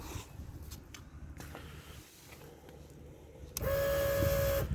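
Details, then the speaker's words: 1999 BMW R1100R, 1085cc opposed twin, at key-on before starting: steady electric whir with faint whine for about a second as the fuel pump primes for injection; normal fuel pump priming. "That was the fuel pump. So you can hear the fuel pump as you start the bike up or as you turn the key, because it's priming the fuel to inject it into the cylinders."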